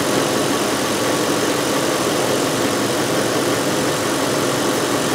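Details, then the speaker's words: 2005 VW Touareg 4.2L V8 with lean faults and stiff brake pedal, idling: steady loud hiss over smooth idle; heavy vacuum leak, likely from a split brake vacuum hose, possibly affecting fuel trims. "it sounds like there is a pretty heavy vacuum leaf which would explain our stiff brake pedal"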